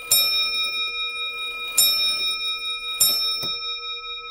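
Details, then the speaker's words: Early-1800s French lantern clock with Robert Dubois bell, before restoration (worn pivot holes, missing crutch); chime train started, three clean ringing strikes about 1.5 s apart decaying smoothly, then a light tap; normal bell strike. "If we start this chime train, we can hear that beautiful bell go."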